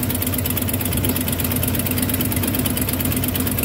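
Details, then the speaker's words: 1993 Ford F250 with a 302 5.0L V8, test-fired after vacuum harness replacement and a new throttle mix screw, with the EGR lines capped. A steady, even idle with a smooth low rumble and no misses or knocks: normal idle. "Running pretty good."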